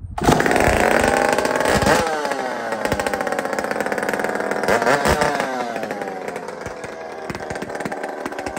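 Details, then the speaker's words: Chainsaw with muffler taken off a Tin Man 66 saw, cold: loud, ragged two-stroke rasp with uneven firing and sputters, smoking a bit, settling slightly as revs hold; spluttering until warmed up. "Kind of splutters and smokes a bit until it gets the metals get rolling."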